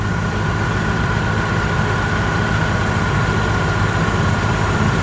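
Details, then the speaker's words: Opel Astra G idling with AC and fan at maximum after replacing the worn belt tensioner and belt: steady even idle, low smooth hum, no chatter; new tensioner barely moves, problem fixed. "Tôi đã nghe thấy rằng im lặng là mọi thứ đang hoạt động hoàn hảo đai mới Bộ căng đai, như bạn có thể thấy, hầu như không di chuyển, tức là nó siết chặt đai đa V một cách mạnh mẽ và hiệu quả với cùng một cài đặt,"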